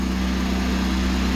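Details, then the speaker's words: Boat Westerbeke diesel generator after fresh water pump replacement, about half capacity with AC, refrigerator and 200 A battery charging: constant strong low drone, no hunting, knocking or rattles; normal running under load. "The rest will be the refrigerator running. Generator is running about half capacity. You go up to 12,000. It's good."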